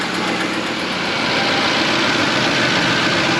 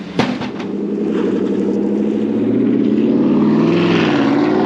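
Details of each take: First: 2016 Chevrolet Tahoe 2WD, 5.3L, about 164,155 miles, cold start after two days parked, used Corsa exhaust fitted: raspy, hissy puffing over cold idle, exhaust leak still present; knocking gone, earlier cold-start rattle seemingly gone but uncertain. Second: 2016 Chevrolet Tahoe 2WD 5.3L V8 after fitting a used stainless Corsa exhaust, one hanger omitted: deep, even burble rising smoothly with the revs and settling back, no rasp, drone or rattle, not overly loud; normal exhaust note.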